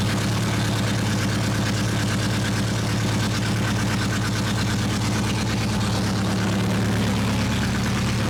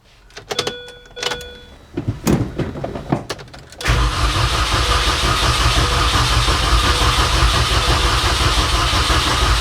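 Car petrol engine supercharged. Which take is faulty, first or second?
second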